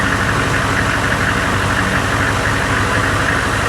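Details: Humvee diesel, odometer reading 2,000 or possibly 102,000 miles, suspected of overheating, temp gauge at 200 and swollen upper radiator hose, started in neutral: steady, even diesel clatter at idle with no odd knocks, rattles or squeals.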